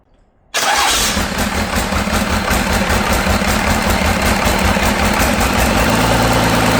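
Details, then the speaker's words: Cummins diesel for a C40 build, fitted with second-gen adapter plate: cranks, catches, then lumpy uneven idle suggesting a miss; owner suspects cylinder 5, which tested low on compression around 325 psi; rough running. "I feel like it's got something to do with cylinder 5. I did compression test it, and it was a little low on compression."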